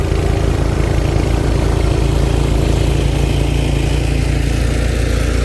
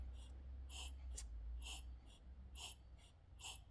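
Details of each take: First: Cub Cadet 2X 26 after a carburetor rebuild for a no-start problem. The primer now pulls suction, and on run it fires off into a strong, steady, even low thump with no misses or surging: fixed, normal running. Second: Cub Cadet 2X 26 with a no-start problem. Pressing the primer gives quick, uneven hollow puffs that push only air and no fuel, pointing to clogged carburetor jets before the rebuild.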